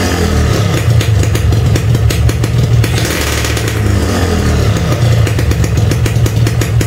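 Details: Standard Yamaha RX King two-stroke, engine warmed somewhat after a hard cold start: pulls clean and steady, picking up crisply on each throttle blip with no stumbling. Normal warm running and revving.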